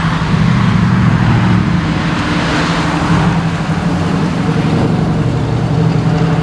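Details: 1979 AMC Spirit AMX, 304 V8, after fitting a Brawler carb with mechanical secondaries, replacing a Jegs carb whose vacuum secondaries wouldn't open: deep, even roar pulling strongly under throttle with no stumble or hesitation; normal acceleration.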